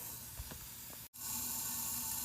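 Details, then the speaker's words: Built H22 1992 Honda Accord, leak-down test, one cylinder under 50 versus about 65–70: steady air hiss escaping from number one exhaust port; exhaust valve not sealing. "and you can hear right in here that there's air coming out of the number one exhaust port"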